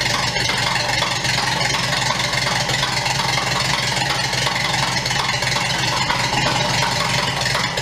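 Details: 1929 Ford Model A doodlebug with an unknown donor engine, first bare-bones start: constant rumbling idle with a fairly even beat, no loud knocks or stumbling, little smoke; running acceptably.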